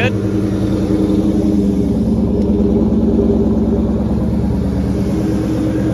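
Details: 2004 Mustang Mach 1 after the clutch fork noise fix, with the pivot ball stud re-secured with Loctite, the fork greased and fluid refilled. Smooth, even idle with a steady low throb, no chirp, grind or bellhousing rattle: normal idle.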